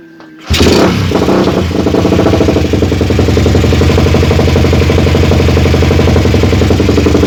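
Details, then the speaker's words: Suzuki Satria FU single just after a Shogun CDI was fitted, started with battery assist: an uneven, lumpy beat of around four pulses a second, stumbling instead of firing cleanly. Said to sound much worse; cause unconfirmed. "Lur jadi suaranya seperti itu ya seperti itu ya ini suaranya jauh lebih parah"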